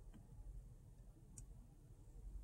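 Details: 2015 Infiniti Q70S 5.6X at operating temperature, HVAC intermittent failure: quiet cabin, compressor engaging and a few soft blend door actuator clicks, no blower fan sound at all; owner suspects the blower motor resistor, as smacking the kick panel restarts the fan.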